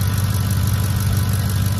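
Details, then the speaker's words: 2010 Ford F-150 idling under the hood, starts quick, low on fuel: steady low idle with an even, regular pulse and no skips or stumbles; idles normally, pending a service check. "not hearing any misses or anything still going to be checked out though through service"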